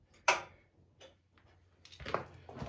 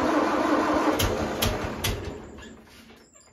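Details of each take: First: 1974 International 354 gas tractor, no-crank no-start: a single click at the key with no cranking; starter cranks when jumped directly, so the starter solenoid isn't passing power from the switch. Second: 1974 International 354 gas tractor with no-crank, clicking issue: starter jumped directly at terminal gives steady rhythmic cranking, a few even turns a second; starter fine, fault is no power from starter switch.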